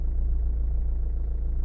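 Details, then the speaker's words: Renault/Dacia 1.5 dCi diesel once warmed, after the faulty injector's back-leak value fell to around 150–160: a steady, even diesel tick-over with no stumbles, so the cold misfire has cleared and it idles normally. "And actually it's ticking over now lovely. You see? There you go. And now the car is stable. That's it. It's not misfire anymore."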